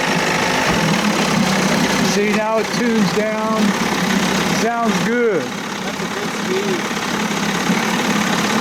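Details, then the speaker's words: 30 hp Evinrude outboard, no thermostat, carb at one and a half turns out, revving up and down with a high scream over the engine; the starter bendix is slowly turning by itself from vibration and dragging. "that starter's screwed up that's what's making all the screaming noises you can see the bend that's up there slowly turning by itself i guess from vibration"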